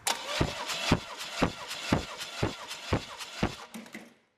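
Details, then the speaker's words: 1991 Chevy 454 SS, 7.4L big-block, cranking over during a compression test with oil possibly sprayed in the cylinder; starter turns it at about two even beats a second, compression strokes matching, readings around 150; normal healthy cranking. "nothing's flying out when I'm cranking it over but it's me some moisture or something"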